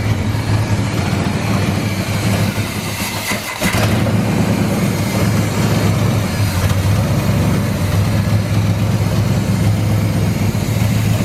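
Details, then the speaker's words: 1984 GMC Sierra C25, 454 big block, first run after about 19 years, following a new fuel pump, tank, sending unit and carburetor. It catches after a brief stumble, then settles into a loud, fairly even burble; normal idle. "oh it does ruin so that's all that matters it runs it's set for like almost 20 years"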